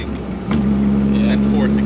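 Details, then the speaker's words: 1963 MG Midget on a road drive, third gear under load: steady mid-pitched whine rises clearly over the engine note and holds; loud gearbox whine in third gear. "like thirds are pretty loud you can hear it whining"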